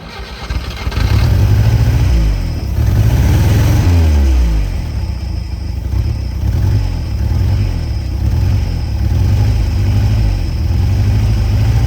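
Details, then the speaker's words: Peugeot 403 pickup engine. It catches and settles into a steady low idle with a few revs, running evenly with no obvious knocks, so it is running normally again. "Bon, en tout cas grosse grosse satisfaction. Ah, notre mém mère là, elle reprend. Elle reprend goût à la vie."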